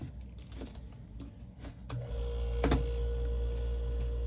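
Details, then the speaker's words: Vissani HVBC31ST beverage cooler after the start device was replaced: quiet, then a steady low hum with a faint tone kicks in at about two seconds and holds evenly. The compressor started and is running normally. "all right compressor's on she's running thanks for watching"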